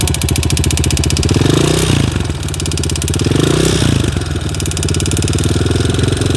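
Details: TTR 250 single-cylinder at idle: hard, regular knock on every beat that stays with throttle blips; engine knock, cause found later but not stated here.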